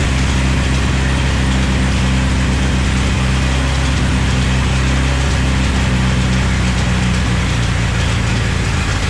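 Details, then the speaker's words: Chevy S10 with swapped 3.0L turbo boat engine: steady deep idle with fast ratchety chatter; the belt visibly flickers when revved and the tensioner bounces because the alternator is not square on its bracket. "the tensioner is moving well i know like the alternator isn't perfectly square on its bracket"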